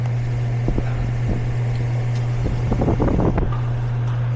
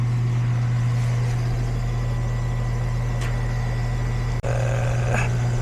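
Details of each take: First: Goodman air conditioner that won't turn off and gives no cold air: only a steady, low condenser fan drone with no compressor hum; the compressor is not running, low refrigerant suspected. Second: Goodman AC condenser on a no-cooling call where the compressor wasn't running; capacitor tested good at 35, wiring reconnected with a spade connector and retightened, at start-up: compressor settles to a steady low hum with smooth fan whoosh, no buzzing or chatter.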